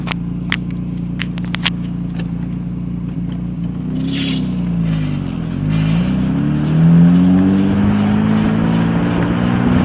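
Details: 1993 Ford Probe GT driving: a low droning hum rising and falling with road speed from a worn wheel bearing.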